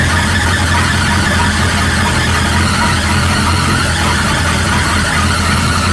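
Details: 1937 Buick Roadmaster idling fast and steadily without settling down; an unused starter solenoid on the carburetor holds the throttle open too far regardless of idle screw setting, so it gets disconnected before setting the idle.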